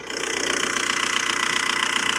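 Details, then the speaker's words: $1500 1.9L TDI VW Jetta, manual, with an old timing belt (about 15 years) and oil of unknown age: fast, even clatter at idle over a harsh, hissy top end; noisy diesel, cause unclear. "As you can hear, clicketity clack. This thing is making a lot of uh noises. Some good, some bad."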